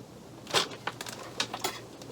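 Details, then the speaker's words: Chinese diesel heater on a 40-year-old sailboat, first start with current draw climbing through 2, 3.5, 4 and 7 amps: faint, sharp ticks a few tenths of a second apart before the fan starts. Normal fuel-pump ticking at startup. "this charging 2 apps 3.5 4 amps seven amps i can hear the fuel pump now"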